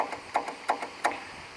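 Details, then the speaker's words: Craftsman 18 hp opposed-twin six-speed riding mower with a new battery. Turning the key gives sharp dry clicks about every third of a second with no cranking; a failing starter solenoid is suspected. "okay so when we reach down here and turn the key I don't if you what to hear or not sometimes it makes a clicking but it doesn't want to do"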